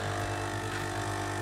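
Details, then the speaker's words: Melitta Solo & Milk coffee machine, 10 years without breakdown or service, first fill after gear and housing cleaning: steady buzzing pump hum with a faint regular pulse as it draws water; pump priming, owner dislikes the sound but thinks it's filled. "And here we go with the coffee machine. I'm ready. I don't like the sound, but I think it's filled."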